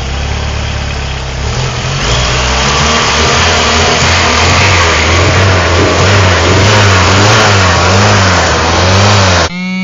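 Idle hunts up and down unevenly with a lumpy, wavering beat instead of settling; rough idle, cause not clear from the sound.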